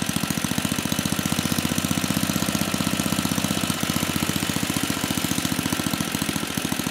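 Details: 34-year-old Tecumseh H30-35387Y single on a Troy-Bilt Tuffy tiller, with a new clone carburetor after a no-compression repair; fast even firing pulses at steady speed, no misses or stumbles; runs cleanly.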